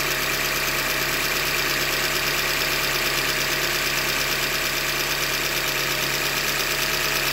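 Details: 2015 Hyundai Elantra Limited at 90K: steady idle with a faint, fairly regular tapping about three a second over engine hiss, engine knock from short block failure, a manufacturing defect; short block replaced.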